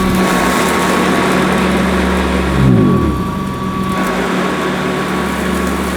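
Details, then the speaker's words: Hoover Decade 80 upright vacuum with a newly fitted belt: steady motor hum with a whine that sags and drops in pitch as high suction pulls carpet up, even on shag setting, stalling and slowing the agitator brush. "well I think I've got a little bit of a problem here because the suction power is so high it's pulling the carpet right up even on shag mode and it's stalling the brush at what's going slow"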